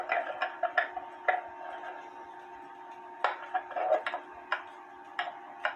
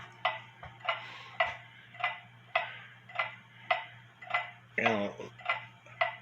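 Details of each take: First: H.Th. Mylius German regulator wall clock, circa 1920s/30s, movement out of its case after a fall and beat adjustment: soft tick-tock with the gaps still slightly uneven. Much better but not perfect; the movement is close to in beat. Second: leave it there for a little bit it sounds like it's in beat it could be off a little bit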